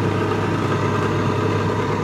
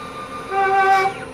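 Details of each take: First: Microkinetics milling machine spindle fitted with a brand-new Marathon motor, running smooth as silk: steady, even hum with a constant low tone and no knocks, rubbing or surging; normal running. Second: Microkinetics stepper-driven CNC milling machine, head moving up and down on Z-axis: sharp steady squeal rises with travel then fades; squeak from a loose bolt that needs tightening.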